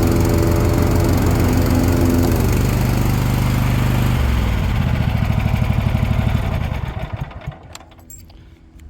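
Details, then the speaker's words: Toro TimeCutter 42-inch zero-turn mower after a yard drive: a strong, even engine drone that holds steady, then winds down and shuts off cleanly, normal healthy running. "$500 folks $500 not a thing wrong with it runs like a top spins like a top"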